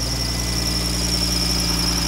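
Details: Car warming up at idle with a brand-new serpentine belt, after overheating trouble: a constant high-pitched squeal holds steady over the idle. Owner suspects the AC compressor or condenser; not confirmed.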